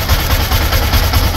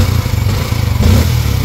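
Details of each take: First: Yamaha Sniper 155 single-cylinder with a clogged oil passage. Oil can't reach the top end, so the camshaft is damaged, along with rocker parts and pumps. Lumpy idle thumping about five times a second with a thin steady high whistle on top: camshaft whistle from oil starvation. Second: Yamaha Sniper 155 single-cylinder after repair of the clogged oil passage, with damaged cam bolt and top-end parts replaced plus a water pump seal kit. Several quick throttle blips rise and fall cleanly with no top-end tapping or clatter; now quiet, normal revving.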